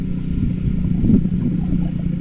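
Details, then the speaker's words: Suzuki Satria F150 with a modified aftermarket exhaust: deep, loud, rough drone that swells as the throttle opens. The dented, loosely joined middle section also rattles from engine vibration, making it far too noisy for narrow alleys. "Getaran file-nya suaranya Kak ke dengan banget berisik banget sumpah kalau lewat jalan gang sempit nih"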